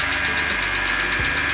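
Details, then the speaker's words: Wrecked BMW 325i E90 first start after sitting in driveway, cold engine at idle: quick light ticking in time with engine, not noticed before; oil present, owner suspects cold engine, cause unconfirmed. "and now it's ticking probably because it's cold I don't know if it didn't tick before"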